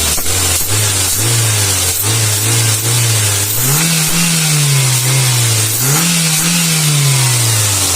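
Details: Toyota Avanza after TPS sensor adjustment: the engine blips up and settles back cleanly several times, with a smooth, even note, no misses and crisp throttle response.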